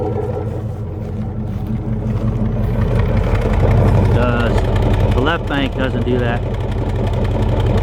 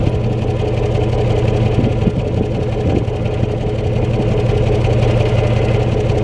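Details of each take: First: 1996 Chevy Tahoe, warm idle after driving: uneven lumpy exhaust puff about three per second from right-side exhaust, misfire that eases off idle; ignition wires later found likely cause. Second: 1996 Chevy Tahoe V8 at idle after replacing the 2-year-old ignition wires, blamed for the exhaust farting (no codes set): steady, low, even exhaust burble with no popping; normal idle.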